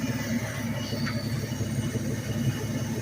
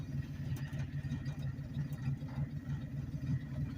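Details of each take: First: 1984/89 Ford F-150 with about 323,000 miles, no air cleaner and some vacuum leaks, warm after hard running: lumpy idle with rapid uneven ticking puff; exhaust leak at the head from a missing, loose manifold nut. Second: 1984–89 Ford F-150 at walking speed in low gear, no throttle, around 200 rpm: slow, even chug about three beats a second, picks itself back up without stumbling or stalling; healthy low-rpm lugging.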